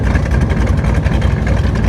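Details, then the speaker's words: AC Cobra V8 after sitting stored in a shipping container, running cold: deep, lumpy burble at an elevated steady idle because the choke is stuck and won't go all the way in; oil pressure good, choke needs lubricating. "the choke is a little stuck won't go all the way in that's a bit of a hassle good oil pressure it's idling a little fast cuz of the choke obviously we got to lubricate that"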